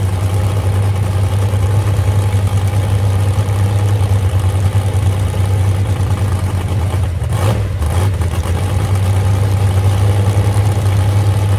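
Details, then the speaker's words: Moonshiner hot rod big V8 fired after about 7 months following full rebuild from crash, two crossed plug wires fixed; deep steady rumble with even pulse, no stumble or miss; normal idle, though temperature gauge not working and possible radiator leak. "Well, girl, still sounds good, don't it? That's all it needed right there."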